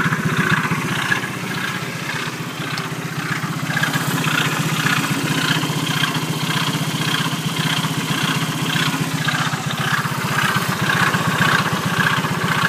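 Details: Engine idling after it suddenly stopped during an incident: regular pulsing beat about twice a second over a steady drone; odd idle noise of unknown cause.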